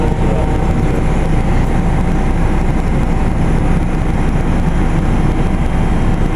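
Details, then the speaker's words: Carrier Infinity GreenSpeed 25VNA inverter heat pump starting in cool mode: deep rough rumble as compressor ramps up, coarse but steady, no knocks; normal startup sound, same as in heat mode. "it sounds like there's something wrong with it when it starts up but that's how it's supposed to sound"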